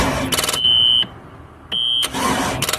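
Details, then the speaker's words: Ski boat center-bolt Chevy 350, sat unknown time with old bad fuel; quick rhythmic cranking in two short bursts with thin whine, no firing; cranks but won't start, cause not confirmed. "Okay, so I think we got a mechanical fuel pump on this thing. Sounds like it's about to hit fire. It might backfire. That stuff's so old and so bad."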